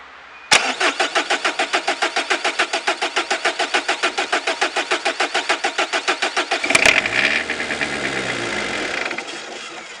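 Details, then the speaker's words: PSA 2.1 turbo diesel at end of life with a leaking Lucas injection pump, glue injected into the pump: the engine cranks steadily for about six seconds without catching. Hard starting, so petrol is added to the intake to help it start. "du coup sud petit problème de démarrage de tout à l'heure j'entendais normalement je vais juste mettre un petit peu d'essence dans l'admission"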